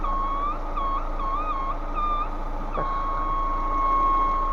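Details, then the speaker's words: Lada Vesta engine idling: warbling, flute-like whistle and hiss under the hood, from air leaking through dried-out vacuum hoses, replaced without removing the intake manifold. "покажу что хозяина беспокоит свистит под капотом шипит свистит как флейта"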